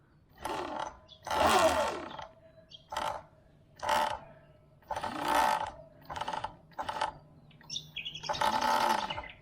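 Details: Sur Ron electric bike being pushed, squeak since first ride; squeals about every second, each sliding down in pitch; main drive belt needs adjusting.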